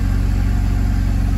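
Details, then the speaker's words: Pontiac Solstice GXP SCCA T2 Championship Edition that would not crank, now running after blown fuses traced to the BCM; gauges and RPM not working: steady low rumble, fast regular firing beat, no misses or knocks; normal idle. "none of the gauges are working at all they're not even showing a rpm so at least it's running"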